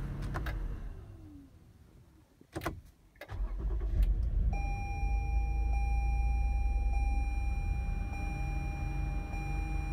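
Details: 2017 Toyota Sienna: clicks, then brief starter whir before engine catches and settles into steady idle; in the morning it would not start unless the push start button was held.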